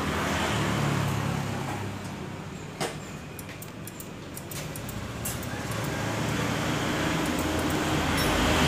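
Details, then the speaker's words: Yamaha NMAX scooter that won't start, MIL lit: pressing the starter gives only quick dry clicks, about four a second, from the front box with no cranking. "tapi dipencet cuma bunyi cetik cetik cedtik di bagian sini nih di bagian bok Sisi depannya"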